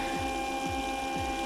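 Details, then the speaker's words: Eberspächer Hydronic 30 kW heater on test bench, fuel lines not connected, only sensors and harness; relay click then fuel dosing pump ticking steadily about every 0.6 seconds, but combustion fan and spark generator do not start. "i only connected the sensors and the harness and we will try to start it so i did hear a relay click yeah the fuel pump is working but"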